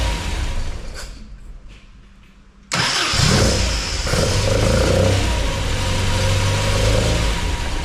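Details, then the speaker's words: MGB with a newly installed Weber 45 DCOE carburettor (new jets, top off), first start with the engine cold. The starter cranks briefly, then it catches cleanly into a lumpy fast idle with crisp blips; a healthy start, idle needs adjusting. "But that sounded sweet. Wow. And it's very responsive."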